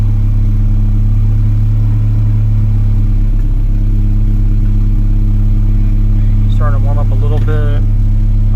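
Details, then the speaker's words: 1991 Acura Integra DA9, B20 swap on B18 base map after OBD1 conversion, warming up: smooth steady low rumble, no misses or knocks, with chatter over it, sitting evenly around 900 rpm; normal warm idle. "know it's like around 900 . that's perfect [Music] that's normal"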